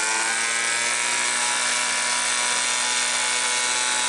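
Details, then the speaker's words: Homelite Mighty Lite 26B two-stroke blower bought from a garage sale and said to be non-running, just fitted with a new aftermarket carburetor: steady high-pitched buzzy drone at fast revs, a touch thin and raspy; sounds slightly lean before carb screw adjustment. "runs pretty good I'm gonna get my pac-man a carp adjusting screwdriver and see if we can tweak you can get a little more rpms out of it it sounds like it's running just a little lean"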